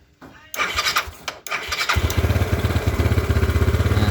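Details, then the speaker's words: Old Yamaha Mio scooter with sudden stalling and hard starting, after fuel line and carburetor work: cranking bursts, then engine catches and settles to a steady even putter; starts and idles normally. "Oke, di sini ya teman-teman motor sudah nyala. Kita cek."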